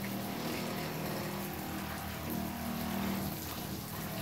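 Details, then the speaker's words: Shurflo 12 V pump with pressure switch on a solar outdoor shower fed by a 50-gallon rain barrel, priming: steady low motor hum with uneven gurgle as air comes through the line; normal priming. "can see the air coming through the line there we go so that should be good"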